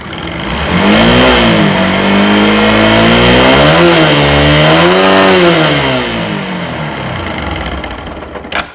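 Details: TVS Apache RTR 4V motorcycle: engine revved up and down twice, pitch following the throttle, with a rough, busy clatter underneath; internal engine noise, cause unconfirmed.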